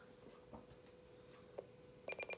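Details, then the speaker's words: President McKinley CB radio built-in SWR meter, keyed on channel 40: steady tone then quick run of short high pulsing beeps; SWR 1.6 versus 1.0 on channel 1, antenna needs shortening a little. "there you go one point six not too bad so basically I need to shorten my antenna little bit"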